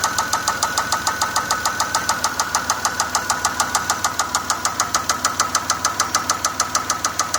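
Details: 2004 Pontiac Grand Prix 3800 Series 3: loud, sharp, even knock/tick about three per second, locked to engine speed; started while driving, check engine light flashed briefly, rocker arms and rods checked OK, owner fears bearings.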